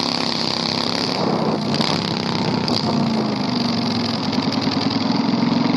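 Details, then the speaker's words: 670cc Predator V-twin go-kart after carburetor fix, on test drive: very loud, raw, crackling note staying harsh and barky at steady running; unmuffled exhaust. "I don't want to ride it anymore. It's way too loud. Like, we are going to get, like, I'd be surprised if the cops have not been called already. It is so loud."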